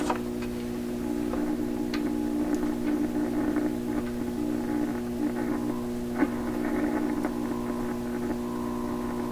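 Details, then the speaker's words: Steady low hum under the program sound of a 1928 RCA Victor Model 28V radio during re-alignment with a signal generator after new capacitors were fitted; it does not change with tuning, seems to modulate the audio signal, and its source is unconfirmed. "so the hum I'm hearing they can very clear hum coming out of speakers and I it sounds to me like it's modulating the audio signal"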